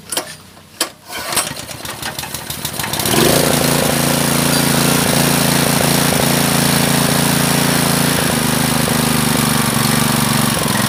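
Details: Honda GX160 5.5 hp water pump engine, unused about a year, black spark plug, NGK BP5ES plug fitted: pulls over, catches, settles into steady but slightly lumpy drone.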